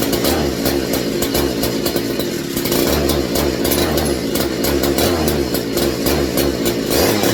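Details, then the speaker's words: McCulloch MC49 chainsaw after rebuild on a substitute 090 carburetor: buzz climbs with throttle then sags and falters at higher rpm despite good blue spark; owner first suspected ignition, then fuel starvation from the carburetor. "getting fuel I've got Spark all the way through the pole and everything beautiful blue spark but when the RPMs go up it's dropping off"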